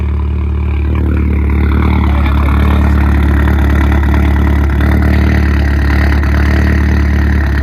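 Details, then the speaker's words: 2005 VW MK4 GTI after replacing upstream and downstream O2 sensors: deep, heavy idle with an uneven lope about four pulses a second; owner asks if it is a misfire, code cleared to see if it returns. "She's loping a little bit. You hear that lope? You hear that lope?"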